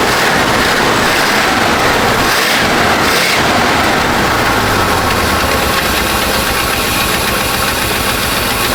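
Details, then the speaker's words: 1970 Chevy C-40 mechanics truck V8, sat 15+ years, after revival: steady even idle under hiss and background noise, no knock; runs and sounds good, though radiator needs repair. "Yeah, >> it does run good. It sounds good. >> It really does."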